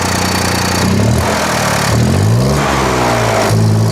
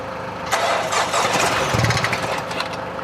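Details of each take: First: 2024 BMW X1 (U11) after a front-end collision, started with the open intercooler/intake closed off: catches, settles to a smooth idle, then revs rise and fall cleanly with no knocks or misses; normal start, idle and rev. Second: Wrecked 2024 BMW X1 (U11) being rebuilt, started on external power: cranks and catches, then runs unevenly with hissy, uneven firing; too much unmetered air from an open intercooler pipe.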